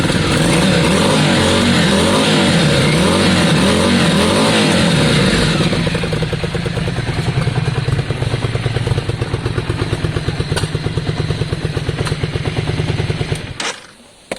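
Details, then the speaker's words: Yamaha Virago 535 V-twin on choke: revs rise, then a lumpy, popping, spitting beat before it dies, like one cylinder struggling; owner suspects a carb issue, others suggested crank bearings. "from this end it sounded like it was running on one or at least mainly on one and the other one was was struggling"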